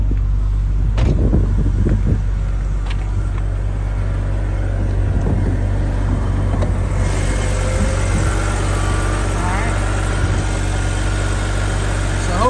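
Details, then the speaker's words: BMW with 102,000 miles, hood open, idling smooth and even with a steady low hum and no weird tapping or ticking anywhere; the engine sounds healthy: normal idle. "you're able to hear that uh there's no weird tapping or ticking at all this sounds great"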